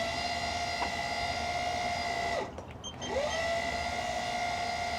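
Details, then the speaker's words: Classic sailing yacht autopilot drive pump, engaged on the autopilot computer after failing at sea and being reconnected: steady mid-pitched motor whine dips briefly as it reverses then settles smoothly; pump running normally. "All right, I'm gonna go turn on the Autopilot. All right, here you go. Auto."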